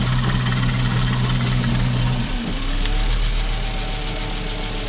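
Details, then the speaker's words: VW 2.5 engine idling uneven and lumpy with a low hum that drops out and a stumbling, irregular, knocking beat; runs this way with the oil cap removed, and debris was seen inside; cause unclear. "Took the oil cap off and it's running like this? Like, why?"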